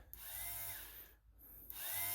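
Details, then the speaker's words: 2015 Bashan Storm 250 with starter relay bridged by screwdriver on a jump pack: two bursts of high even whirring, no cranking; starter spins without turning the engine, owner suspects missing wiring prevents engagement. "the starters turning so i don't know if some wiring that's missing here it's causing it to not connect"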